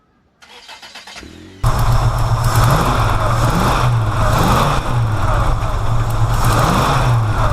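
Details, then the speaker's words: Engine after fixing rich running: cranks briefly, catches cleanly and settles into a steady, even idle beat with no pops or backfires; healthy start and idle. "No backfiring. Beautiful. Listen to that beat."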